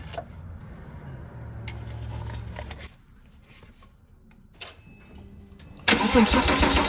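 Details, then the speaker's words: Porsche Boxster 987 compression test, plugs out, gauge in one cylinder, cranking at wide open throttle: even cranking about three seconds with no skipped or lazy beats; reads 272, good compression. "All right, so let's head in the car and crank it over and see what we get. Remember, wide open throttle for about 5 to 10 seconds. Call that 272."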